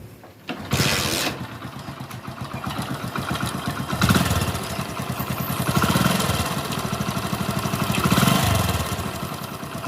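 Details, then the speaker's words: Hero Splendor bike after genuine timing chain kit replacement, idling with light revs: slight timing chain noise remains plus fast chik-chik tick, like a jammed bearing slipping; suspected camshaft bearing tick. "तो यह सुन लिया आपने bike की आवाज और इसके बीच में भी एक आवाज ए रही है चिक चिक इस टाइप से आवाज ए रही है"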